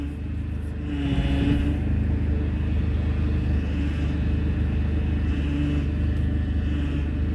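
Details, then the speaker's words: Turbo PT Cruiser GT on its first drive after reinstalling the Getrag transmission with a new clutch kit: low, uneven drone under road load that stumbles; rough running, and a check engine light with power loss soon follows. "it still sounds a little bit terrible but that's all right we'll be fine don't need power steering at least we got some power steering it's a start she doesn't sound happy at"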